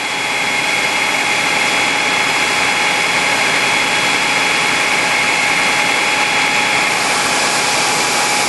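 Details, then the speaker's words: 1997 Spartan/Ferrara fire engine, 1250 gpm pump drafting from dry hydrant, throttled up from about 75 toward 100 PSI, very little vacuum: loud steady high whine and rushing flow, no surging or cavitation; holding pressure well. "it's having no trouble pulling a v pulling this up it's running very little vacuum"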